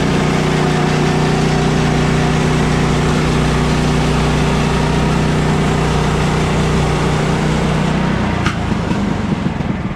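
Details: Bandsaw mill cutting 3/4 x 6 inch siding boards with a toned-down Pine-Sol blade lubricant; excess probably made the blade slip off the bandwheel. Engine pulls steady and even under cutting load, blade note holding without stumbling; cutting normally.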